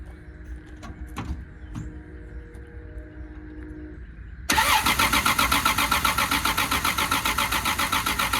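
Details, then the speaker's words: 1979 Volare wagon that sat four years in a junkyard, with fresh gas just added: a steady starter grind that never catches; cranks but won't start, apparently not picking up fuel (owner suspects a leak underneath). "I think I'm gonna crawl up underneath the back of this car and see if I'm leaking any of this fuel out or something, because I don't know why it's not picking nothing up."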